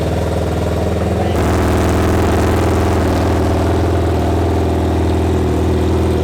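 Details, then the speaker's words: Freshly installed replacement engine, 2014 Honda CBR1000RR in a Honda N600 micro car (first engine was bad), first start: cranks about a second, catches and settles into a steady, even, loud run through the open header, no knocks or misses; sounds okay. "Sounds like we're in business, boys. It with the open header, it makes it a little harder to hear any engine noises, but from what I could hear, it sounded okay."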